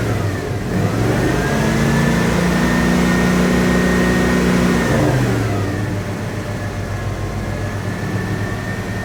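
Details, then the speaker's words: 1980 Dodge W200, Magnum 5.9L V8, Holley 600 cfm carb re-jetted from probably 64s to 66s, engine cooled down: clean pickup on blips, no misfire or spitting, just a slight stumble off idle; clean at 2500 and 4000 rpm. "all right this seems to be working good here the engines had cooled down to like 15 so it's got just a tiny little bit of bog but not real bad when I held it up to like 4,000 RPM it super clean"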